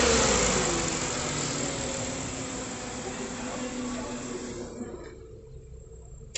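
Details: Ford Fiesta engine after the timing chain repair, with new cover gasket: it runs smoothly, then winds down and stops with no chain rattle or ticking; the timing chain sounds healthy.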